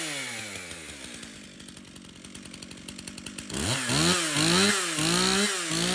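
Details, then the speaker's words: Stihl MS 391 chainsaw, customer-reported no-start, run on fresh two-stroke mix: even ticking idle, then crisp throttle blips rising and falling smoothly with no stumble. It runs healthy; stale watery fuel is suspected as the cause. "well that 391 starts and runs no problem so stale watery fuel I guess is to blame"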